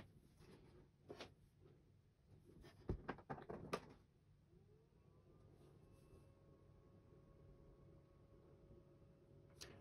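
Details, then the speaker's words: HP ProCurve 1800-24G J9028A switch after swapping its loud stock fan for a Noctua NF-A4x20: handling clicks, then a small fan spins up to a soft steady whir, audible but far quieter than the original. "we can hear it definitely makes sound but it's nowhere near the one that we had last time"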